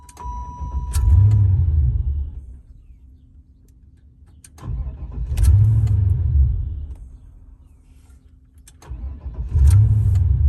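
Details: 1994 Chevrolet Impala SS cranks and catches briefly with a rising roar, then stalls about 1.5 seconds later, three attempts; cause unknown; starts then stalls.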